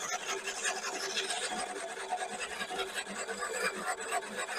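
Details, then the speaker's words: Einhell battery reel mower backlapping: reel driven backwards by drill with abrasive paste on the blade, screws tightened progressively; steady gritty rasping showing good even reel-to-bedknife contact. "abrasive tout le long jusqu'à tempant que on entend qu'il y a un bon frottement et on va resserrer progressivement avec les deux vis là"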